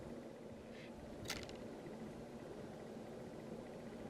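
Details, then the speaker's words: 1985 Robbins & Myers Hunter Original model 25572 ceiling fan, new capacitor fitted, installed in bedroom on high speed: quiet steady airy hum, one brief rattle from pictures on the wall, not the fan; fan runs smooth. "You can really feel some air at the edge of the room now. Let's go to high. And it's rattling pictures on the wall. That's how much air it's moving."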